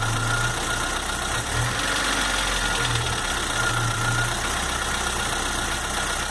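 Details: Chevrolet S10 2.4 gasoline, 15W5 oil: irregular light knocking over a steady idle. Lifters, rockers, pushrods, pistons, rings and rod bearings were already replaced. The head was checked fine and the block measured within spec. Source unidentified.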